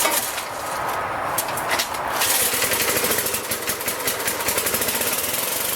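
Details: Magna air compressor, circa-1983 Briggs and Stratton engine, sat 5 years, first start on carburetor alone without carb cleaner, choked: fast even popping run, no misses or knocks; runs awesome, pumps to 100 psi, owner may raise to 120.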